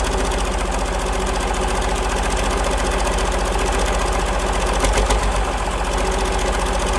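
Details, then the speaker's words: 1947 Cletrac FDE diesel crawler, first start after sitting many years, injection pump freed, fresh fuel; loud steady low chug about 220 beats a minute, no knock or miss, despite water leak and missing fan belt; normal diesel idle. "There she is, folks. Running like a charm."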